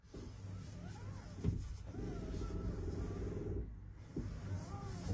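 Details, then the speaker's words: Wuling Zhiguang EV in cold weather (6 °C): loud, drawn-out creaks and squeaks front and rear whenever the steering is turned. Source is unknown; the owner suspects rubber bushings and pads hardened by the cold rubbing on metal. "一打方向，前后全响，也不知道是哪里响，而且声音特别大。"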